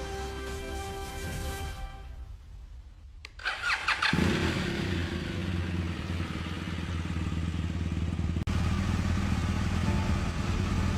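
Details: BMW R1200GS boxer twin, 10 years and 85,000 km, first start after full engine and gearbox overhaul (input shaft bearing failure found), oil circuit checked; quiet, then catches and settles into a steady, even twin-cylinder idle, healthy with no rattles.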